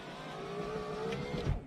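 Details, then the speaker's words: Suzuki X-90 driver's door power window after replacing the window motor with the passenger-side unit: motor whine sags slightly as it labours, then clunks; down travel works, up travel still struggles a little but usable. "now that we got it all back together let's give it a quick one last shot down part works the up part struggles a little bit"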